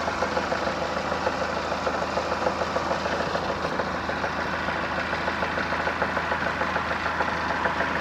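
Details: Chrysler Voyager (Dodge Caravan) 2.4 petrol, 151 hp, A604 automatic, at idle: regular dull knock from below, opposite cylinder 4 or the engine-gearbox joint. Rod bearings checked fine; balance-shaft play and a stretched balance chain were found. Cause: flexplate cracked around its crankshaft bolts; fix is flexplate replacement.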